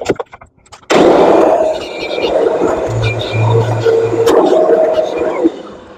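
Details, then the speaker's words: Kirby vacuum with self-propelled power drive after foot switch pedal assembly replacement: switch click, then steady even motor hum with faint whirr and no clicks; drive engages forward and reverse, runs smoothly. "Our power drive engages and disengages without any problems. It goes just as fast backwards as it does forwards. No clicks. Runs pretty smooth, actually."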